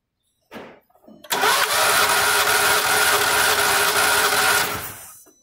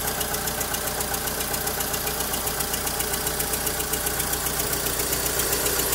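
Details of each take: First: Volkswagen Saveiro lacking power when pulling away, recently overheated with parts replaced: cranks with strong even beat for a few seconds then stops; compression sounds healthy on this cylinder, unlike the suspect cylinders 1 and 2. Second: Volkswagen Saveiro lacking power on pull-away, idling: uneven, lumpy idle with a regular beat near four per second over a steady hum; the weak pulses point to low compression on two cylinders.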